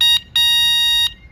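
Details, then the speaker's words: Nakto 20-inch folding fat-tire e-bike with a 500W rear hub motor, ignition key on and display on: two clean electronic horn beeps, a short one then a longer held one, steady high tone; working horn. "Has a horn"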